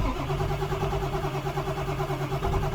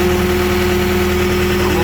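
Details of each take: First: Diesel truck with glow plugs, jump-started with a 10,000 A jump box: slow laboured cranking at about three beats a second, then fights into an uneven run; hard start. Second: Skid steer diesel started with a GOODALL Start All 10,000 amp jump box: steady, even idle with a constant low drone and no misses or knocks; normal idle.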